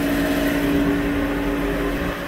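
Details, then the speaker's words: Subaru rear wheel bearing roaring loudly while the wheels turn slowly with the pedal lightly pressed. Steady droning hum of fixed tone. No play felt with the wheels off. The noise may transfer from one side to the other. "so here's my little pedal depressor and I'm just lightly going with it just ever so slightly get a little speed out of it feel very loud and that wheel bearing is loud great"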